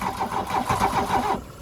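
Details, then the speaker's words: Classic VW Scirocco Scala after sitting 6 years: fast cranking with ragged firing attempts and a sharp puff back near the end, never catches; owner suspects ignition timing may be off. "we had a puff back then might be timing"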